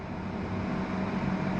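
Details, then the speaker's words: Victron Phoenix inverter feeding a Multiplus in series, with a portable air conditioner and pool pump running as constant loads: low steady hum near 200 Hz that swells and wavers. Abnormal inverter hum, cause unclear. "not I can still hear it humming like if there was some Peak power demand but the car is a very very constant load"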